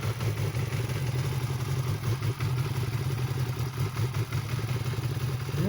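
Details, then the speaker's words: Yamaha R6 first cold start right after a clutch rebuild, fixing a clutch basket that knocked loudly: steady, even cold idle with no basket knock felt through the bars; clutch sounds quiet and healthy, normal. "нормально я даже не слышу как на холодную корзина бьет по рукам через руль сейчас прогреется посмотрим"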